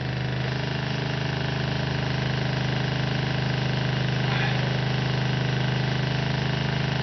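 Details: RV water pump running while filling newly installed PEX plumbing: steady low drone with an even pulsing beat, brief gurgle as air clears at the kitchen sink, then lines pressurize. Pump running normally.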